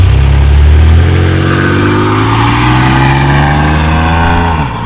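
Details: 1997 Chevy Camaro RS, 3.8L 3800 Series II V6, with Cherry Bomb Turbo muffler and newly finished tailpipe turn-down: deep, smooth exhaust note climbing evenly with revs then easing off, no boomy drone. Normal exhaust; interior drone now gone.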